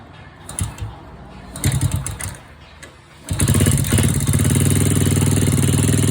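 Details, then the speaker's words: Honda Wave 100/C70/Wave 125 motorcycle after new cylinder, piston, rings, cam chain, tensioner parts and oil pump gear; after blips settles to steady idle with quick light ticking about four per second: valve clearance too loose, valves then adjusted. "โอเคเสียงที่ได้ยินแต๊กๆๆๆๆเป็นเสียงของวาล์วนะครับ"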